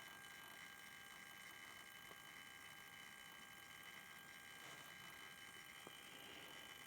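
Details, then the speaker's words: DC/DC converter from a 1988 Soleq Evcort electric car (108 V traction pack to 12 V, 400 Hz switch-mode supply) that had shorted out; thin high buzz with uneven crackling ticks from the choke, matching irregular transistor switching pulses on the oscilloscope. "and what we see here are irregular pulses so so to try to sync this i'm going to switch to dc coupling here and you can see pretty clearly that the pulses do match the sound coming out of the choke"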